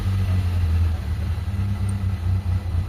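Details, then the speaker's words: Car engine whose check engine light blinks with no fault code: exhaust popping, and the idle keeps surging and sagging, hunting and uneven; rough idle, cause not yet diagnosed. "Pumuputok-putok yung tambucho mga bossing. Tapos yung minor niya, ayan naglalaro yung minor niya."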